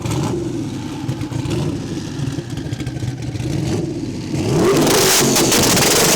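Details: Turbo car on launch control, revving to build boost before launch, ignition timing tuned for spool: revs held on the limiter with rapid stuttering cuts, then a sharp pitch rise as it spools; launch control working.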